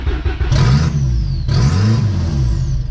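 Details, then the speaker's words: VW Golf 3 with a 1.8T swap on an open downpipe: revs surge up, sag and surge again within seconds, never holding a steady idle, with loud turbo noise, from an unmetered vacuum leak. "so still searching like crazy but holy crap there's so much turbo noise right now the car is just open downpipe um but just all of the turbo but yeah the cars are searching like crazy um can't find a steady idle"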